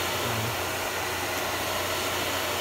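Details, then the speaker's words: Air Venturi 4,500 psi high-pressure compressor on 120 V, water-cooled with radiator and water tank: steady, even airy whoosh with a low hum and no knocks or rattles as it first switches on; cooling fan running normally. "Oh, there it goes. Yeah, it's running. You hear the fan. You hear the fan running."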